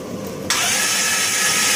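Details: 2001 Dodge Grand Caravan EX, 324K+ miles, in winter: starter kicks in abruptly with fast, even whirring crank, no firing; crank no start, fuel pressure about 50–51 psi but no spark seen at plug.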